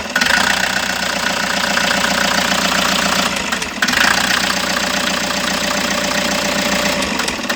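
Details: Toyota HiAce van engine idling with an uneven, stumbling beat and a few dips; consistent with a misfire at idle, cause not yet found.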